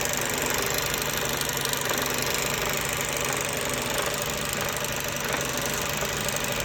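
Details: Mercedes-Benz Euro 5 diesel truck: steady running with a dull knock buried in heavy clatter and hiss; wetness seen around the high-pressure pump and air compressor area, knock source not pinned down.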